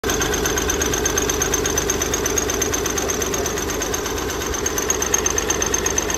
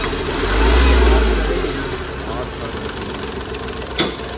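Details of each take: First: Hyundai Grand i10 diesel with Delphi injectors idling with a hard uneven knock and hunting idle, also hard starting; no fault codes stored; one injector nozzle losing pressure was found faulty. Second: Hyundai Grand i10 diesel after the faulty injector was repaired and refitted, fixing earlier hunting and misfire: even diesel clatter with one smooth rev that rises and settles, quick start, no hunting or skipped beats; engine runs clean.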